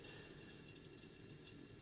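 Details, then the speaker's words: Old remanufactured Mopar alternator, pulley off, rotor spun by hand: gritty rushing rumble from the front ball bearing; worn or dry, not about to seize, likely from sitting about 30 years. "It spins nicely, but it's noisy. So it's a ball bearing that's in there in the front"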